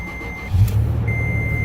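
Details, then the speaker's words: 2008 Toyota FJ Cruiser, cold start on a below-freezing winter morning: the engine catches quickly and settles into a low, steady idle with no misses or knocks. It is super smooth, a normal cold start. "Super smooth."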